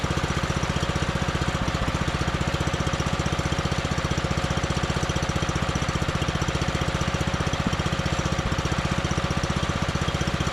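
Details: John Deere 110 mower that sat in a garage about 10 years, started after longer cranking once a jumper start failed: small single-cylinder engine firing at an even, quick beat, no misses or knocks; normal running.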